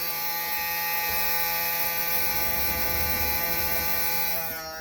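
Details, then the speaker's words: Mini excavator cab blower motor tested after cab repair and climate control dial fix: steady, even high whir holding constant pitch until it winds down; blower motor working normally. "yeah here yep working cool i'll be able to get some circulation in this cab now even if it's cold warm whatever"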